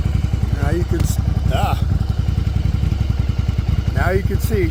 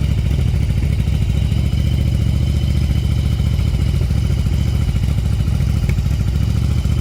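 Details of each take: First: 1994 Yamaha Virago 750 chopper V-twin after fixing an intake vacuum leak: steady, even lope at about 1000 rpm idle with no hunting or surging. It previously ran up to 3000 rpm after a couple of minutes of running. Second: 1994 Yamaha Virago 750 V-twin chopper, warming up: fast uneven idle a little over 1,500 rpm with exhaust popping; intake vacuum leak causing high idle.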